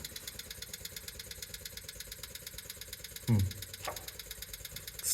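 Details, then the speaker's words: 1974 Rolls-Royce Silver Shadow with carburettors and points ignition, not starting, fuel supply suspected: fast, even electric fuel pump ticking that never winds down after refuelling, sounding like it is sucking air; a large fuel leak was then found at the front. "kind of sounds like it's blank noise that it's just uh just sucking in air"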